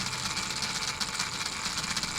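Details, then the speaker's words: RC crawler (Element Gatekeeper chassis, Traxxas Defender body) gearbox: high gritty whir with a rhythmic chatter from metal-to-metal gear mesh in the top end, not the bottom end; gears feel not seated. Plan to shim it. "All that sound is there is you're hearing the gear mesh. You're hearing the gear mesh in the top end, metal to metal. You're not hearing the bottom end at all."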